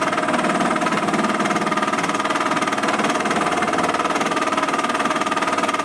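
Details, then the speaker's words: Small benchtop import drill press boring cast iron: a rapid, fairly even rattling chatter of about two to three beats a second over the spindle; tool chatter while boring, possibly from a worn lower bearing. "chattering [Music] Oh sounds like you got another berry problem on that lower bearing I'm sure"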